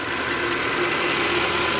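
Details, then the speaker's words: Mercedes ML63 AMG W164, M156 V8, after a power steering pump replacement, warm after a drive: a smooth, even idle with no ticking or knocking. Ticking occurs only after long sitting, typical of the M156. "all right guys back home you can hear no ticking he's just from sitting for so long it's typical m156 Behavior so uh let's go check the engine bay she is sounds very nice and healthy felt is dead even we're good"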